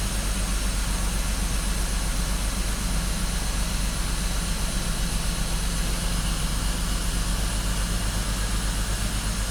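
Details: BMW X5 with ongoing misfire, banks lean at cylinders 5 and 6, injector pulse being checked by scope: steady low idle with a slightly uneven, loping pulse about two and a half times a second; a misfire at idle is suspected.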